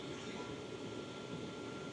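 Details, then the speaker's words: Hcalory Toolbox 2S Plus portable diesel heater a couple of minutes in, set to 10, its hottest setting. The pump ticks faster as the fan speeds up and warm air comes out. Loud, steady air rush with a faint high tone and no rattles; normal running at full power. "Now obviously I've got it on 10, the hottest I can have it on, which is why it's so noisy at the minute."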